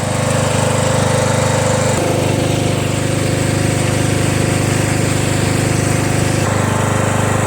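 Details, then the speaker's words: Small single-cylinder mower engine, previously smoking after sitting on its side with oil in the muffler, restarted to check smoke: catches and settles to a steady even beat, no misses or knocks; no smoke, starts right up, runs smooth. "I recall that it was still somewhat smoking so I'm gonna start it up right now and see if it still smokes no parked in the backyard right up sounds good"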